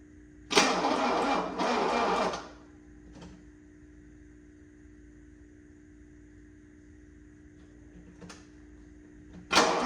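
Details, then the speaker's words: 1984 Mercedes-Benz 300SD diesel, no glow plug light: short sluggish laboring starter bursts that die without catching; turning over far too slow, weak battery suspected, owner also worries about low compression. "It was just turning over way too slow. Even with a brand new battery in here, this thing was cranking like a snail."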